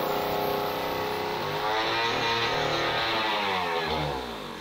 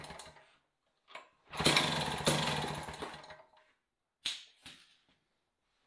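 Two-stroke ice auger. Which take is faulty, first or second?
first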